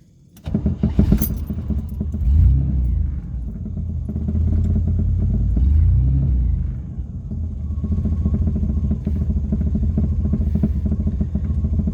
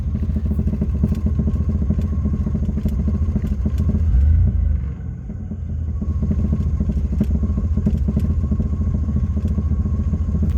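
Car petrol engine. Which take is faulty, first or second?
second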